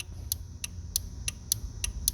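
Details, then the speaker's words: 2011 Dodge Journey horn relay, built into the under-hood fuse box assembly: seven crisp clicks, about three a second, over a low rumble, with no horn sounding; 20 A horn fuse has continuity, relay working. "When I hit the horn, you hear the clicks? Yeah, that's the relay."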